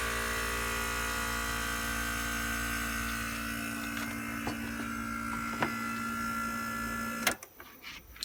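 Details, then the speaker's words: Philco Noiseless 6800 BTU window air conditioner from the 60s or 70s, compressor running on its own after a delayed start: steady, even humming drone building pressure until shutoff; compressor healthy, owner wonders about a starting winding. "so that sounds pretty good and you could hear it build up pressure there so there ain't nothing wrong with this compressor"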